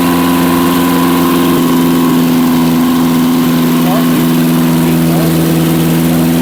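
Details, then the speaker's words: Barn-find Zastava 850 after coil change and points work: fast, steady idle at constant raised pitch not dropping back; owner suspects stuck throttle. "see s h sounds like the Proto stuck but she started I"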